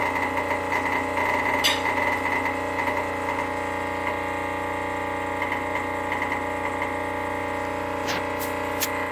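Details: Rocket Premium Plus espresso machine: steady, even buzz at constant pitch with a faint repeating rattle; abnormal noise, cause unclear.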